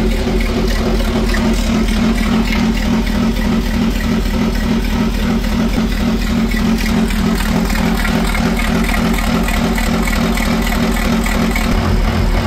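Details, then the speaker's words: B58 engine swapped into a BMW E24, first start on an unconfigured SCS Delta standalone ECU: low, lumpy, uneven idle that never smooths out. A separate secondary noise changes with the clutch. Cause of the rough running not yet found. "Yeah, that's a secondary noise. But we still got to figure out why it's running like that."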